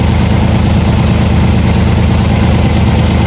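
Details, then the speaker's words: Nissan 300ZX (Z32) at idle after a spark plug swap: deep idle with a slightly uneven, loping beat under the steady drone, a cylinder still missing; injector or coil pack suspected, not confirmed. "Alright, so as you can probably hear, it still has the miss, so I'm going to go ahead and I'm going to unplug it."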